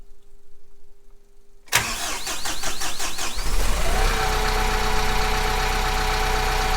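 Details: Kubota M15GX engine start after a full engine rebuild, oil pressure warning light checked; a few cranking turns, fires and settles within two seconds into steady, even clatter; owner considering checking top-end oiling; normal start and idle.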